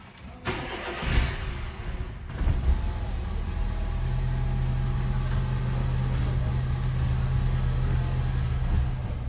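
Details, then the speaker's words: VW Fox in for a steering-turn noise also starts reluctantly in the morning: the starter churns a couple of seconds, the engine catches late and hesitantly, then settles to a steady idle. Hard cold start. "Esse carro também tá com a frescurinha de manhã para pegar."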